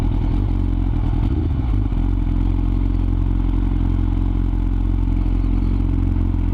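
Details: Yamaha R6 misfiring at low RPM: a low, deep idle with an uneven, stumbling beat and occasional hiccups. Caused by ignition coils not pressed fully home; it ran perfectly once they were reseated.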